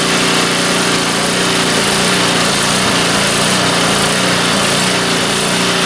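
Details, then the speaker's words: Neglected snowblower that sat outside since last winter, running on fuel with stabilizer: small engine buzzes along at an even, steady pace with no misses, surging or knocks; runs fine without teardown. "well this video just got a lot shorter than I was expecting it to be I was expected to have to tear this thing apart and all that"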